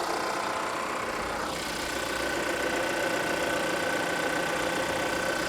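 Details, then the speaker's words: Used Volvo XC90 at salvage auction, hood open: light, fairly regular ticking two to three per second over a smooth idle, first mistaken for an air pump; engine runs fine, cause unknown. "It's not major, but I don't think it's supposed to sound like that. But it seems to be running fine, so I don't know."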